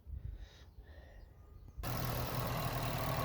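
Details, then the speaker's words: Vauxhall Astra J GTC started after an oil and filter change, idling a few minutes while checking the oil filter housing for leaks: quiet start then smooth, even idle with steady low beat; no leaks found, engine healthy. "so as you can hear I've actually started the car off I'm just checking down there by the oil filter hous in just around here just to see if I can see any leaks"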